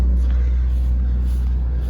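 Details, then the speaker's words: The generator on a Prevost H3-45 RV, during oil, filter and air filter service, runs with all the fans on, giving 120 volts with a 10 amp load on each leg. It makes a deep, steady drone with no knocks or surging. Normal running under load. "let's turn like shoot doesn't matter turn all the fans on let it run for a little bit so now i gotta load saying i got 120 volts coming in got a 10 amp load on each leg so that's pretty good"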